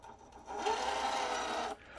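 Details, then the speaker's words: RC crawler with Kingv 3532 1470kV motor and Robinson 18-tooth pinion: brief burst of steady, fairly high whine under power, all axle ring-and-pinion noise, since power with driveshafts disconnected sounds different. "all of the noise, that's all axle noise. All that sound is ring and pinion. All of it."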